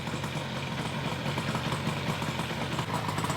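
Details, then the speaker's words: 1972 Yamaha LS2 100cc two-stroke twin, 784 miles, first start after long sitting and carb clean, no airbox: even, steady idle with a low, regular burble and no misses or rattles; idles cleanly. "This guy sounds really good. Sounds really good. I like it."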